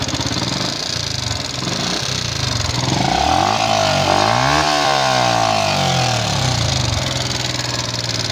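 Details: Yamaha Jupiter MX King fuel-injected, rough kletek noise, radiator warning light always red: light, quick tick over the beat through a rev, from the cylinder head; mechanic suspects worn parts, water pump linked to radiator, before teardown.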